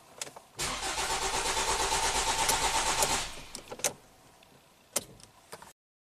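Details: 2017 Ford Transit Connect 2.5L four-cylinder, 45k miles, cold start with P0116 set and cooling fans on constantly: starter cranks steadily about two and a half seconds, about three pulses a second, never catches; crank no-start.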